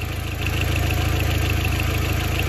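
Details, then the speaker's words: Audi A4 1.8T, 179,000 miles, overheating and no heat, not yet warm: steady idle with fast, even ticking over the engine note and a small exhaust leak audible; cam chain or tensioner suspected, may need tightening, not confirmed. "but it's the cam chain it's probably the tensioner it might just need to get tightened"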